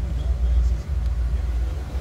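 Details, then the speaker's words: 1963 Ford Galaxie 500 convertible, 289 V8, Cruise-O-Matic automatic: low, even V8 rumble, steady and smooth with no knocks, misses or ticks, and good throttle response; normal idle. "nice sounding 289 smooth running too nice throttle response"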